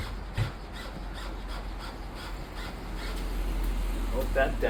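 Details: Tesla with Öhlins suspension: faint rhythmic creaks, then sharper high squeaks as the body moves; suspension squeak that recurs every 10k to 15k miles and needs re-servicing.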